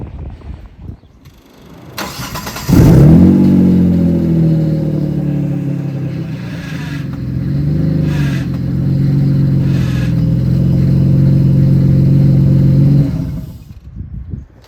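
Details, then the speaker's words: Mitsubishi GTO turbo conversion after full built 6-speed gearbox swap with ultra-lightweight flywheel and stage 4 clutch, downpipes only: loud steady screaming over the engine with clutch pedal down, smoke and burning smell; cause unknown, owner fears gearbox destroyed. "So I don't know what's making that screaming noise, but it definitely doesn't sound good."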